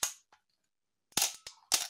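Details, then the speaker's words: Canon A-1 after a full clean, lube and adjust service, at lower shutter speeds off program mode: crisp clean clicks, a single shot then a slower open-and-close pair, with no squeak or drag. Shutter and mirror are healthy. "oops let me take it off program and on lower shutter speeds yeah you can hear it how it sounds this is a nice healthy a1"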